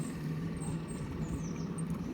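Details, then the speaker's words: Eberspächer hydronic heater in a camper, refitted and relocated with a new pump after airlock problems, just fired up and heard outside: steady low hum with even pump and burner whirr, no surging or misfire; running normally. "It's working, Days. So I've got the pump working, the system's fired up, so we'll see whether the water gets warm or not."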